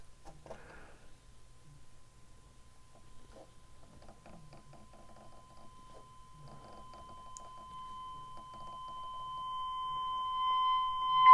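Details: 1932 Philco Junior 80C regenerative radio alignment at 600 kHz, dial at 60, adjusting trimmer number 5 by ear: faint steady test tone swelling noticeably louder toward the end as the low-end padder is peaked to maximum.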